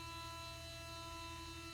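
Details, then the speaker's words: 2002 Mercedes SLK230, after an auxiliary fan module shut off: low, steady electrical hum with a faint higher buzz continuing on the other side; owner unsure if it is a coolant pump. "But as you can hear, I'm still getting a secondary hum over here on this side as well. I'm not sure if that's a coolant pump or what that is."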